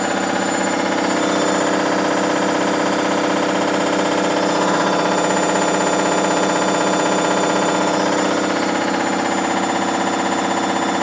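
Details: Hoover Dynamic Next DXA 48W3/1-80 8kg 1400rpm washing machine, spin cycle: loud harsh roar with steady pulsing about four times a second; owner unsure if spider, bearings or overloading.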